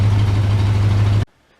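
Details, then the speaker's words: 1966 Mustang V8 with true dual exhaust and stock-style mufflers: low, smooth, even idle drone with no pops or ticks; too quiet, Flowmaster two-chambers planned; normal exhaust. "This is This is too stock. It's too quiet. It's quieter than that was. That was louder than this. This is a true dual exhaust."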